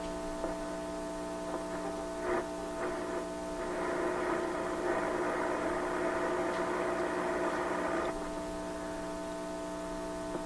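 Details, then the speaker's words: Atwater Kent 944 restored vacuum tube radio during alignment check: loud, steady buzzing mains hum with a rich overtone edge under brief hiss bursts; attributed to a computer power supply about 20 feet away, with an antenna wire also suspect. "Where'd that big bad hum come from? Okay, so that sound you hear is actually the power supply in my office computer 20 feet from here."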